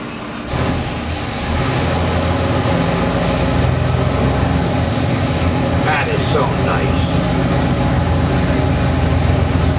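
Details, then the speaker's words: 347 cubic inch small-block Ford crate engine (302 block, 425HP model, ~430HP made) on dyno for 1970 Mustang, Edelbrock 750 carb, MSD distributor, forged pistons: deep even V8 rumble, no knocks or ticks; healthy, strong running. "Got the 4 racing valve covers on here. Looks good, sounds good, performs good."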